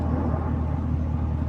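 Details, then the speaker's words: 2020 GMC Sierra idling after a new serpentine belt and idler pulley: smooth, low, steady rumble with no chirp or squeal, the earlier squeak fixed, idle healthy. "Man, it's so quiet now. It's crazy how just a belt and an idler pulley can cause that much freaking noise."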